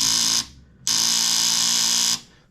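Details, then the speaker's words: Kawasaki KFX450R ATV starter button pressed: battery reads 12.8 V, 12.6 V with key on, then drops to 6.9 V when the button is pressed. A harsh, high solenoid buzz on each press, stopping on release, with no cranking; the solenoid chatters from low voltage. "let's go ahead and kick that key on 12.6 everything still looks good let's go ahead and hit this button and we are dropping to 6.9 volts"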